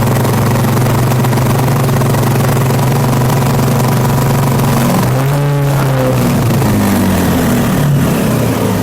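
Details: Honda Vario scooter with a steady idle of about 1400 rpm on a diagnostic scanner. At full throttle the revs climb, then sag and fall back instead of holding, pointing to a faulty throttle position sensor, which was later replaced.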